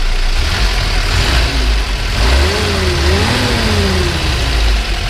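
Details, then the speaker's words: 1957 Willys Jeep FC150 Forward Control with a Hurricane engine, electric fuel pump and working choke, revving: steady petrol running with a couple of smooth rev rises and falls, no knocks or misses. Normal, healthy engine. "really fun the ribs right now fifty-five at 4,500 there's little hurricane motors"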